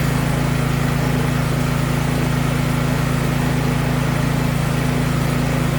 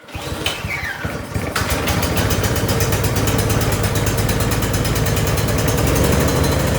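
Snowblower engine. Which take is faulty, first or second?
second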